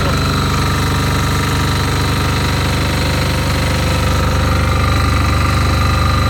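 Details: Fermont MEP-831A military 3 kW 60 Hz single-phase diesel generator, built 2001, rebuilt 2010, 2.2 hours, new oil and fuel, just started after preheat: even, rapid diesel clatter at one constant speed, no hunting or knocks; normal running.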